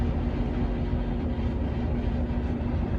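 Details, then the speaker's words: Furnace: blower runs with steady low rumble but no igniter or burner light-off after igniter check; fails to start, later found caused by clogged pressure switch hose. "It's not kicking on."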